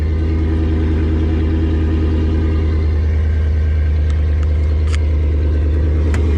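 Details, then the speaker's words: Nissan Patrol with LS1 V8, first start after sitting for a while on a freezing day, after a couple of backfires: deep, even V8 at raised cold-start idle with a lopey cam pulse, no misfires. Normal cold start idle. "She's running. Guys, I am over the moon. I couldn't believe that actually started."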